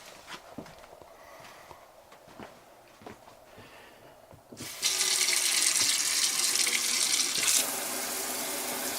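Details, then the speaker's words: RV water heater after replacing the faulty 1/2-inch brass check valve in its output piping: smooth steady hot tap water hiss with no squeal; old valve had a split o-ring and vibrating spring. "That sounds better. Yep, that definitely was it."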